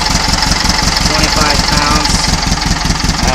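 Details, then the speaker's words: Cold air-cooled 1800 flat-four with Kadron carbs, stock pushrods, full 1 1/2 inch header and stinger exhaust: slow, steady putter at very low idle, no misses; much smoother-running engine after changes. "very low idle but can you just hear the sound how how much smoother it is"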